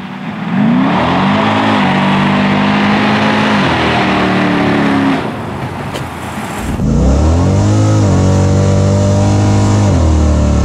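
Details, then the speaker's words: Car on street test; clean rev climb through gears under load, hesitation almost gone after carb jet change, still running rich, smaller jet suggested; normal acceleration. "what you hear the hesitation is almost gone now"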